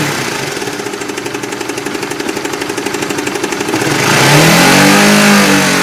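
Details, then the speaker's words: Intermittent clattering "kelotok-kelotok" engine knock on the Oscar, about four sharp even knocks per second that fade as revs change; at other times the engine sounds normal. The problem has gone on for seven months to almost a year. "Kadang terdengar suara kelotok-kelotok, kadang suara mesinnya itu normal gitu loh."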